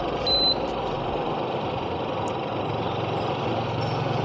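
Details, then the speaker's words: Evaporative air cooler fan after repair: a short beep, then a steady, even rush of air from the blower, no knocking; loud noise was caused by the squirrel-cage fan slipping freely on the motor shaft. "นี้ไม่มีเสียงแล้วครับที่แบบดังแบบมากๆเลยนะครับถ้าตรงนี้คือเสียงมอเตอร์เป็นเสียงปกติของมาให้รวมนะครับ"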